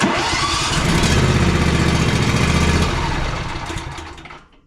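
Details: John Deere Z335E zero-turn mower whose only-clicks no-start was caused by an engaged PTO clutch. With the PTO off, the twin fires right up, runs an even strong beat for a few seconds and shuts off cleanly; healthy start.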